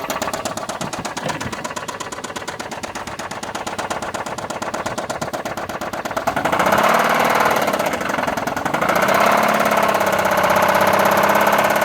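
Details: 2007 Chrysler Sebring 2.7L V6; the replacement long block is four years old with about 60,000 miles, and the car has about 129,000. Idle has a steady rapid knock that grows louder and quicker on throttle blips. It started small; the shop says the lower pan, the owner suspects the top of the engine.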